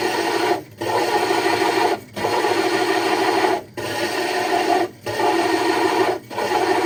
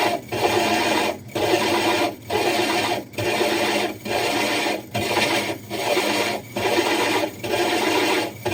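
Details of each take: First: Hole saw drilling aquarium glass (60 breeder tank) with water added, through a template: steady gritty rasp broken by short knocking gaps about every 1.5 seconds, indicating the bit is nearly through. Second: Diamond hole saw drilling the glass of a 60 breeder aquarium: rasping grind in bursts about once a second, each dropping briefly as pressure lifts and drill power varies instead of brute pressure; normal controlled cutting.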